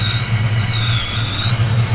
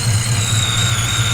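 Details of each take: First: 1988 Ford Foxbody barn find V8 warming up with 42 lb injectors, Power Plus intake manifold, Vortec S-trim supercharger, long-tube headers and custom X-pipe: steady high supercharger whistle over low burbling idle, normal. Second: 1988 Ford Foxbody barn find with EGR still fitted, just started cold in winter: lumpy uneven low idle with a thin high whine above; owner suspects cold weather makes it rough.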